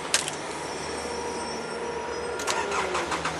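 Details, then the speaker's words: Nissan Elgrand 4WD, 61,710 km. The starter cranks briefly, then it catches on the first turn of the key and settles into a quiet, steady idle. A normal start. "First turn of the key. 61,710 kilometres."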